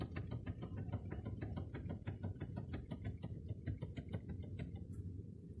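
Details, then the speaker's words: Nissan Sentra: rapid dull knocks, several a second, as the steering is worked, after tie rods were replaced without fixing it; a steering shaft joint was suspected, but the cause was a loose pinch bolt. "он говорит слушай похоже крестовина накрылась рулевая крестовина вот она вот эта вот штучка там внутри крестовина с подшипниками"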